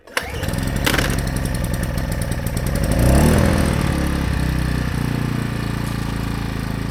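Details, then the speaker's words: AiVolt 1600 W gas inverter generator, new, started with the choke on and a cord pull: it fires at once and drops to a soft, barely audible even idle with no misses or rattles. "That's it. Is it running? Can barely hear it."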